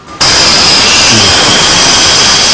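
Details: Gas stove regulator on the gas cylinder: a steady, loud hiss starts abruptly and holds even as gas escapes past a worn or poor regulator seal; fixed with PVC seal tape, thread and electrical tape; regulator seal gas leak.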